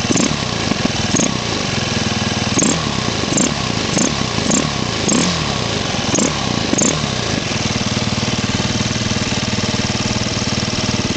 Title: 2007 husqvarna te450 chirping noise